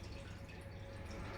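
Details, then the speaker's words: 2010 Mercedes E63 with 81k km, engine removed, fuel poured into cylinder five during a leak test: quiet steady trickle running straight down; faulty piston letting fuel into the crankcase. "You can hear that's slinging direct down. Something is wrong with the piston here. Not necessarily the piston rings, but definitely there is a problem with the piston."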